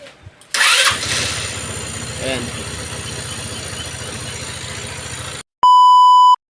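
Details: Rusi RFI motorcycle brought in not running, faulty side stand sensor; short crank, engine catches at once, steady even idle without misfires or rattles; normal start.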